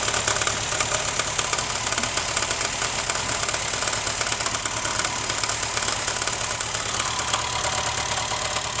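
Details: 2011 Honda Fit petrol engine idling: steady, busy metallic rattle riding over the engine; cause not identified.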